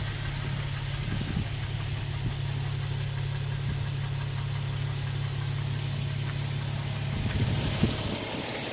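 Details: 2007 Toyota Tacoma TRD Sport 4.0 L 1GR-FE, 239,000 miles, idling with a loose irregular knock two or three a second; owner believes piston slap, unchanged since 180,000 miles, unconfirmed.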